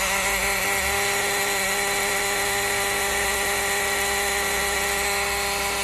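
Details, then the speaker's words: Honda Fit, weak and misfiring, forced limited RPM and throttle-system fault code; steady high-pitched whirring buzz at ignition/start not following engine beat, traced to the throttle body, not the engine; throttle body actuator gear noise. "desliga liga o barulho tô aqui pessoal não corpo de borboleta não é no motor"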